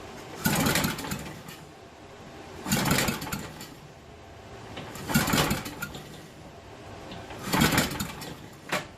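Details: 1974 Briggs and Stratton 8hp 190402 engine, ether sprayed in after clutch rebuild: slow, uneven cranking bursts about every 2.5 seconds with no catch; turns over but never fires, cause unconfirmed.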